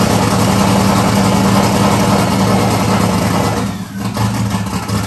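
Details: 1994 Mustang 5.0 V8, triple turbo, Holley Terminator X, high ram, Anderson N41 cam, open downpipe; first startup: loud, lumpy, hunting idle nearly stalling near the end. Runs rough, needs serious tuning; owner suspected too much fuel.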